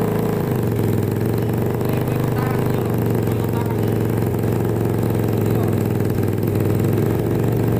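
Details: Suzuki Satria FU two-stroke after new cylinder block and piston set, exhaust refitted, first start: steady, fairly even idle with constant low buzz and no obvious knocking.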